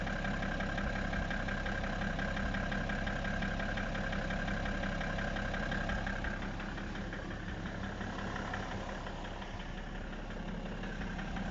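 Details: BMW E60 535d diesel at idle: regular light knock near three per second riding over the clatter; owner unsure what is knocking in the engine, cause not pinned down.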